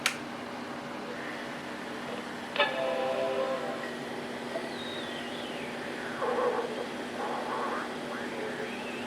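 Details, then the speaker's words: Untested, unrestored Macintosh LC III at power-on: short startup chime, then thin high squeals and a gliding whistle over fan hiss, with video interference too; distorted speaker squealing on startup. "You can hear that very unhappy squealing coming from the speaker."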